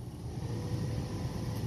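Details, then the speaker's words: 2013 Honda Civic heater/AC blower motor after reassembly, with a piece of paper removed from the fan: a steady low whoosh with no ticking, flapping or rattle. Blower back to normal. "let's turn on the fan see what it does okay back to normal all right that's what that is"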